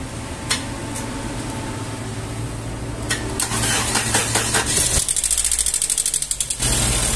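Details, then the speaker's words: Engine just started, running with only some oil-pan bolts fitted: fast uneven lifter tapping, two or three taps a second over rough idle, noise decreasing as oil pressure builds. "e o barulho já diminuiu tava uma batedeira aqui vou postar para vocês aí como que tava entendeu"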